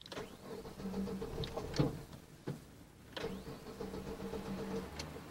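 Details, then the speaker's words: Starter whirs through two long cranking attempts with a pause, engine never clearly catches; 1998 Daewoo Lanos 1.4, 280k km, blown head gasket. Owner suspects a half-bad CPS, unconfirmed. "well the engine runs fine after all sometimes it's not gonna run for unknown reasons maybe the CPS is half bad or I don't know what"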